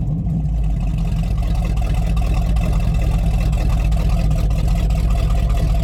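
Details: Rotted Chevy Squarebody truck with a 454 big-block V8 running with the fuel pump switched on and jumper cables: deep, even rumble with no misses or knocks. It sounds good despite a worsening hydraulic fluid drip; normal running.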